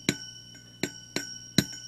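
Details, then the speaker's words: Budget tube preamp kit, tube after the volume control lightly tapped: each tap brings a sharp click and a lingering high metallic ring or zing. This is tube microphonics, harmless here. "you hear that ring little zing sound that's just microphonics not really a an issue"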